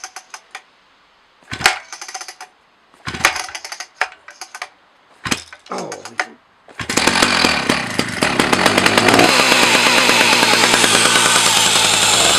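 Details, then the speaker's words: 40-year-old Husqvarna 380 S chainsaw after a DIY starter mechanism rebuild: several sharp pull-start rasps, then it fires easily into a crisp, even, high-pitched two-stroke buzz; normal start and run. "I could start it now just to have the just for fun to hear it Roar and see how easy it starts and test the starter of course"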